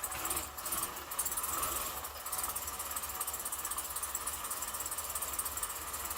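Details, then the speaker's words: 2008 Suburban, first start-up of new engine after 5 or 6 tries: quiet, even idle with light steady patter and some hiss behind; freshly started engine running smoothly. "Success so far, anyway. What do you think? Sound good? It took another 5 or 6 tries, but we got her started."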